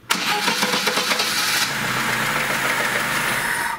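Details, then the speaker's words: Lada Niva 21213 carbureted, cold engine, after ignition repair including a new ignition module; short cranking catches within about a second and a half, then settles into a steady, even run; healthy cold start. "по идее с полкинка все равно нормально заводится"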